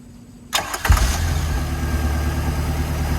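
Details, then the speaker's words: MerCruiser 3.0 inboard in a Stingray 192 RX boat, water hooked up: short crank, catches within half a second, settles into a steady even idle; normal start and idle. "puppy starts right up [Music] should be good to go got that plastic Shield hidden on the flywheel area but other than that she sounds good"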